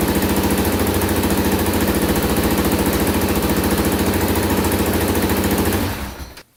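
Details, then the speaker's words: Can-Am DS 650 quad after carburetor cleaning, warm after about 10 minutes running without leaks: big single idles at a steady, even thump, about 3.5 beats per second, then cuts off cleanly; restarts every time. "let's let's fire it up one more time and make sure and it starts right up every time"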